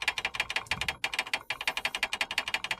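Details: 2012 Fiat Uno Fire, front wheels, over potholes: quick light metallic clicking in bursts, roughly eight taps a second, like metal on metal; owner unsure of correct brake pad fitted, suspected pad rattle in caliper, unconfirmed.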